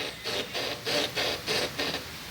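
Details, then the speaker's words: Peugeot with front suspension noise: rhythmic dry creaking and rubbing, about three scrapes a second, as the front is rocked. Caused by a failed front shock absorber bump stop/mount, which let the strut rise toward the windscreen. "se por acaso foi o batente do amortecedor dianteiro e procure um técnico mecânico para resolver se não vai acontecer isso aqui ó pode até quebrar o para-brisa"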